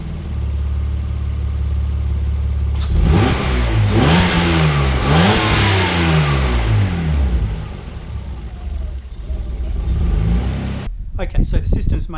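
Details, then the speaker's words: Mazda KL-DE 2.5 V6 swap, warm, diagnostic mode disconnected: ECU holds steady idle around 400 rpm within spec; quick blip drops back with slight stumble but no stall. Normal idle. "okay systems maintaining it right on 400 I don't care how far that screw's got to be open as long as it's idling properly"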